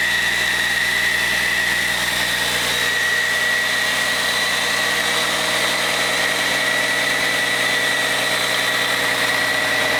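Steady, even diesel idle with a constant hum and no knocks, misses or rattles; engine sounds healthy and settled.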